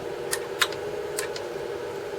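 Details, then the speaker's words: Dehumidifier fan under test after repair attempt: steady mid-pitched hum with sharp irregular ticks, noise starting as the fan spins outwards away from the centre, suspected catching; fan noise, cause not confirmed. "There we go, fan's on. Yeah, it seems to be when it's spinning outwards, it comes further away from the centre there and then starts to make that noise."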